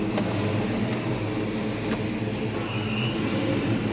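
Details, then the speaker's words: 1995 supercharged Mustang, stock-block 302 with Trick Flow heads, Vortech V2 S-trim, smaller 3.12 pulley replacing factory 3.33, under load while driving: engine pulls steadily with thin high blower whine on top, louder than before but normal. "you can really hear that blower whine now that I put a 3point um one two pulley on this instead of the 3.33 that came Factory um blower makes a lot more noise now than it used to which is fine"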